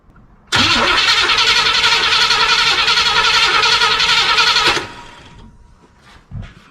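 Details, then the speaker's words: 1976 Chevy Cheyenne 4x4, long-sitting, fuel line disconnected before carburetor: even cranking about three and a half turns a second for four seconds, no fuel spits out, never catches; crank no start, fuel pump not working. "I think we can safely say that the fuel pump is not functioning."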